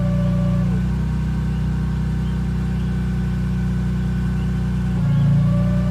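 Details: BMW E46 M3 at idle with the clutch pedal up (engaged): a thin, steady whine rides over the idle, drops out for a few seconds and returns as the clutch changes; cause unknown.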